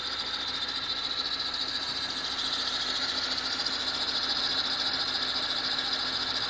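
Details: BMW petrol engine at idle with a steady, shrill high-pitched screech that stays unchanged; occurs only when the engine is cold.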